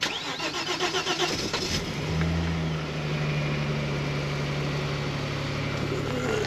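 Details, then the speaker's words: Omega 2.5 V6 after coil pack issue fixed, cold morning start: quick crank, catches at once and settles into smooth even idle without misfire stumble; running on all six cylinders again, normal. "get this defrosted ah running on six cylinders again can't beat it"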